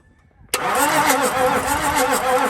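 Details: Toyota 1HD-FTE diesel from a 100 Series Land Cruiser, tested before building into an LC76 and converting to mechanical fuel pump: starter churns the engine at a steady rate for a couple of seconds but it never catches; cranks, no start.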